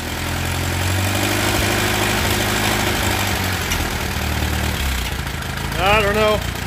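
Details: Allis Chalmers B tractor engine after repairs, with new plugs and cap, original rotor and points, and a muffler fitted: steady, even low idle with a regular beat and no misses or knocks; runs smooth, burns a little oil, low oil pressure.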